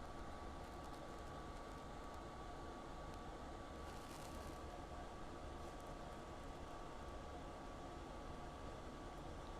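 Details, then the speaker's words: 2010 KZ Spree LX 289 KS RV, not plugged into shore power, thermostat set to heat: the ducted forced-air furnace's single-speed fan comes on with a quiet, even whoosh and faint hum, running 15–20 seconds before the burner lights. "I'm sure you can hear in the video the fan coming on. That fan is going to run now for 15 or 20 seconds before the burner itself lights up."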